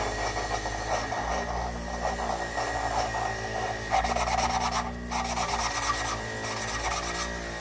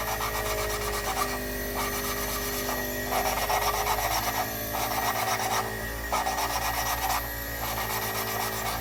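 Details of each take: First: Toyota 3A-C engine rebuild, lapping a valve by hand with grinding compound: steady back-and-forth gritty rasping that evens out and smooths as the valve seat beds in. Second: Toyota 3A-C cylinder head, hand-lapping a valve with fresh grinding compound: rough, sandpapery back-and-forth rasping in steady strokes, the gritty early stage before the seat smooths out.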